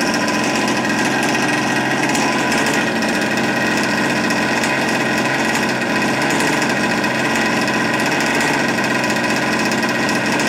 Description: newly converted rcmk cr600b 57cc , to a OBR 57cc full mod , sounds awesome , sounds different , engine feels and sounds angrier ,its running rich this still needs to be run in and carbs fine tuned later , so more vids will soon follow .